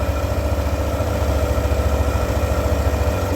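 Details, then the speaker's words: 2017 Yamaha NMAX scooter that had been shaking badly, after the part was replaced and correctly seated: a steady, even low idle with a smooth regular pulse and no shake; the vibration is gone and it runs normally. "Oke kita matikan teman-teman motor sudah normal getaran sudah hilang"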